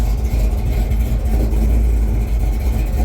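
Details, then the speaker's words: Big-block Chevy Chevelle with a 700R4 transmission, back running after 4 years off the road and setting off on its first test drive. Deep, steady V8 burble with an even pulse and no tapping or knocking; oil pressure good; healthy. "So, alright, if you can't hear it, I got the car running. Take it for its first test drive."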